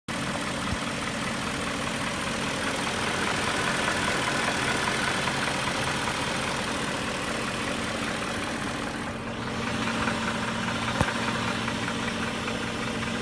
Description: "Diesel" sound coming from 2001 BMW 540i M62TUB44. To me, there seems to be two different sound going on. There is the VANOS rattle, but also a "clack" that I have no clue what it is.